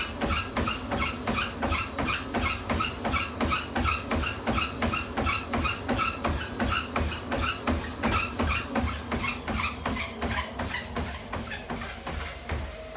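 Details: Tunturi T40 making a sharp, regular clack about eighty-five times a minute over the running motor; rhythmic knocking noise, cause not yet pinned down.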